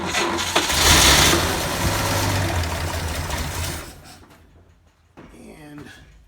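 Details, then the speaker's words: 1947 GMC truck, six-volt battery, fed gasoline by hand: catches with a rough uneven roar, sags within seconds and dies, won't hold idle; cause unknown, oil leak also being traced. "was that enough to get oil to start leaking no so a little more gasoline I don't know why it's not idle in that either but I guess I'll have to solve that next"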